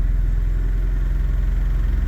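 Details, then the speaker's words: Honda Prelude, cold, after reconnecting a loose intake tube and dealing with a coolant problem: the idle is now even and steady with a deep drone, only slightly fast, likely the cold fast-idle. This is much improved over the earlier 1500 rpm idle. "whoa it's idling normally ish it isn't warmed up though"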